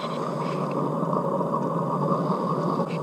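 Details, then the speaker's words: Lifted trailer wheel spun by hand: steady gritty rumble and grind from a worn-out wheel bearing, which should make no noise at all. "là on entend bien le roulement qui aiment voir normalement ça doit faire aucun bruit dans cette eau"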